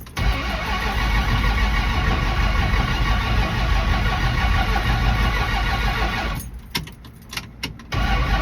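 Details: 1974 Dodge Dart restarting hot after refueling, driven minutes earlier: long steady cranking churn with pedal pumping, then stumbling and sputtering before it catches, then revving; hard hot start, cause not evident.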